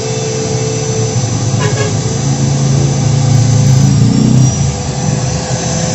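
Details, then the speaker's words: Wood planer motor after shimming the loose body fit with four layers; steady even hum with no rubbing or growl, spins freely and the body no longer heats up, overheating fixed. "oke mantap suaranya Udah halus nggak ngigau kayak tadi lagi dan putarannya juga udah enteng banget"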